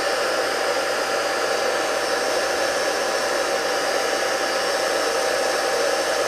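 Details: 2 hp high-voltage single-phase motor running on the bench without heating: a steady, even whirring hum with no knocks, rubs or surges; normal running.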